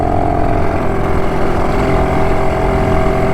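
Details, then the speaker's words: BSA D7 Bantam two-stroke under restoration, on a ride after tuning and timing work: ragged, uneven drone under load, struggling at full throttle; owner suspects the carburettor, cause unconfirmed. "it still doesn't like Full Throttle is so there's still something something a Miss with the um there's still something I miss with the old um yeah you can see it's struggling"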